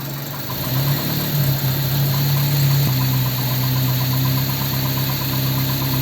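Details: Ford 100E engine after first road test, being worked on for a non-charging problem; fuel added and it starts, catching and settling into a steady, even low idle hum with no misses or knocks: normal idle.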